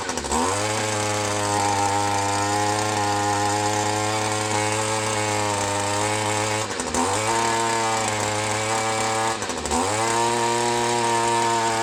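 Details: Echo SRM 210 two-stroke line trimmer after new carburetor install and clearing an air bubble: revs up clean and crisp, holds a steady buzz and drops back evenly, running like new.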